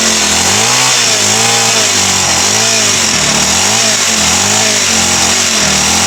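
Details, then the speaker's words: TX35 four-stroke brush cutter with owner-fitted new carburetor, previously not starting, after priming and spraying fuel into intake: engine fires and runs on its own with a gently wavering buzzing idle. "อ่ะไปแล้วพี่น้องติดแล้วครับผม"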